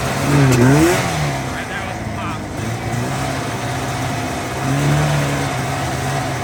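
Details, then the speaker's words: 1985 Yamaha XL-V 540 race-build vintage sled, two-stroke, warm from just running, idle set a little high: crisp buzz climbing quickly on throttle blips, dropping cleanly back to fast idle; quieter than owner wants; healthy revving. "I'll start it up. It's not nearly as loud as I almost want it to be, but it sounds good."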